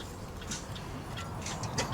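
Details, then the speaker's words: Porcelain pendulum clock just after overhaul and repair, pendulum hung. Even, steady ticks in a regular beat against a quiet room. Normal ticking; movement running properly. "I've finished giving it an overhaul and doing the repair work. So that's ticking nicely."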